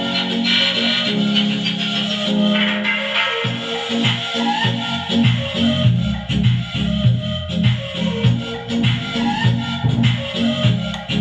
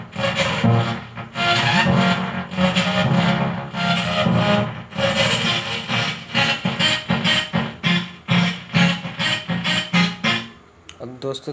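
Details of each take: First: Transistor amplifier after repair; one channel had been distorted from a burnt resistor, and a loose speaker wire had cut sound. Music now plays clean and full with steady bass and no crackling on either side. Normal amplifier playback. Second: Transistor audio amplifier, one channel fine and the other distorting: music plays harsh and crackly with a gritty rasp on the faulty side, traced to an open output resistor.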